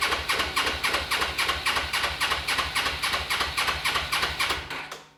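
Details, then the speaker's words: Suzuki GS500 swap bike, first start attempt with fuel hooked up: uneven firing puffs about four a second catch briefly then die; hard starting, won't keep running; owner suspects air leak, though brake cleaner on intakes changed nothing. "she doesn't run she runs a little bit funny so it actually looks like there's an air leak or something like that but it sounds like an air leak"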